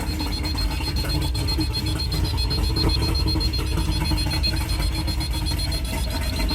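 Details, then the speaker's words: Mercury two-stroke oil-injected outboard running on water muffs after oil cap replacement: steady repeating electronic beep of the low oil warning, which stopped after topping up 2-cycle oil and revving slightly. "Hasn't stopped beeping yet, so let's check and see if the reservoir is even filling up. There's oil in it. Maybe it just needs to be topped off."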